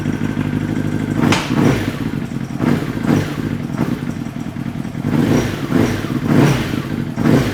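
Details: Honda CBR motorcycle engine with a hole in the case runs with revs surging rough and uneven and dull thuds; a broken connecting rod leaves it running on three cylinders.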